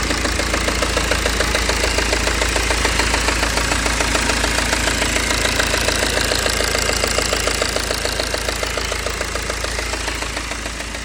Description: BMW e92 320d N47 ticking sound from engine.